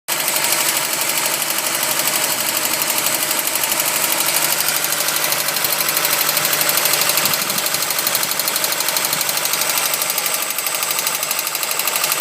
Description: Golf mk1 rattle sound on further investigation I looked at the water pump pulley and saw it wobbling and it was banging against the pulley cover, so I still have to fix it.